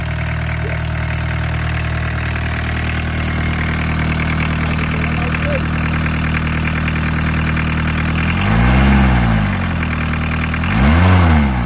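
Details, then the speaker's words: Barn-find VW Caddy pickup with a mechanical diesel, first start after over 20 years off the road, 154,000 miles: steady, even diesel clatter at idle with a regular low beat, no knocks or misses. Healthy idle. "Mechanical diesel engine. Job done. That sounds perfect, doesn't it?"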